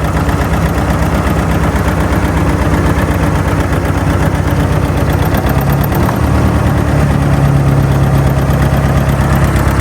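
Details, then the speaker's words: Old machine running on petrol after getting it started, warming up with heaps of oil pressure: loud steady low chugging idle, even firing, no knocks or misses; not a bad old machine, normal idle. "Nice. So she's not a bad old machine."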